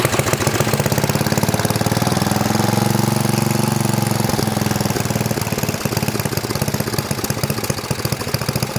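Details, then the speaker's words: 1972 John Deere 56 mower with swapped single-cylinder engine, after third start attempt following repairs: chugs steadily at fast even beat with coarse rattly exhaust note, running on its own. "well that's at least good we have life"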